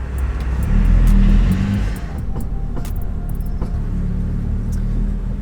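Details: BMW M2, engine idling, front wheels turned left and right: sharp irregular clicks from the front suspension persist after a third repair attempt involving the pinch bolt and fastener; cause still unsolved.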